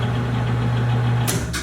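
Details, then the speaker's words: Katool KT-T800 tire changer turntable motor, single-speed on/off, run via foot lever including reverse: steady low hum, a little noisy, then clunks as pedal is released; functioning normally, healthy turntable drive. "But it's functioning, a little bit noisy. It's not variable speed, it's either on or off."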